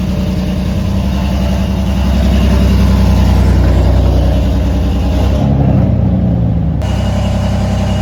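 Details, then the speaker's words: BMW M4 after a DIY spark plug upgrade, started a few hours later: uneven, stumbling, lumpy idle that never settles, with check engine light and drivetrain malfunction; misfire traced to plugs gapped incorrectly. "So guys, it's been a few hours since I last started the car. Now, the engine is struggling right now. It's not performing well."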